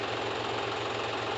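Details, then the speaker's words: John Deere 5105 diesel tractor after full engine repair for overheating, first start after refilling coolant, started on one crank: even steady idle with regular low beat, no misses or knocks, excellent firing: normal idle. "मान गए गुरु। कहना पड़ेगा genre को लाजवाब firing"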